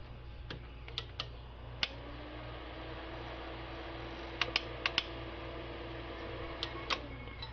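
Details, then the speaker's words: AV-602A amplifier after cleaning, powered on: quiet hum with sharp irregular clicks in scattered bursts as the protection relay chatters; relay driver fault, eventually traced to a capacitor. "So nandiyan pa rin. Lumalagitik pa rin."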